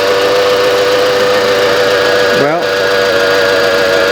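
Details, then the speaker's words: 1995 Mitsubishi Expo after engine overhaul (machined head, new rings and seals), cold, low on antifreeze: petrol engine idling smooth and even, steady hum with no knocks or ticks; sounds healthy. "Sounds pretty good to me. I better shut it off before it really warms up because it's low on antifreeze. However, this is pretty nice."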